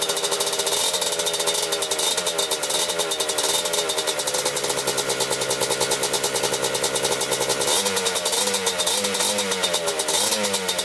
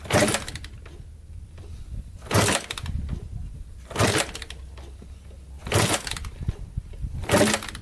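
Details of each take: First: 1987 Kawasaki Tecate 4 250cc two-stroke quad, just rebuilt, idling after gas was poured into the cylinder to start it; fast, even, crisp popping without stumbling; normal idle. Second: 1987 Kawasaki Tecate 4 250cc quad, first start after rebuild: five kick-start bursts about two seconds apart, none firing; fuel is getting through and spark is good, yet it won't start; cranks but won't start.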